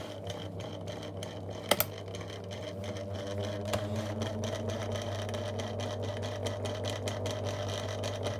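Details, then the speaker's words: 2002 Lloytron F029 9-inch desk fan on test, low speed then a faster setting with more airflow, oscillating: a low steady hum with uneven rattly ticking over it; the motor runs rough, with little grease seen and a suspected intermittent motor connection. "Bit more air flow, but still it sounds horrible. Yeah, oscillation still works, but it's not particularly good. That's just terrible."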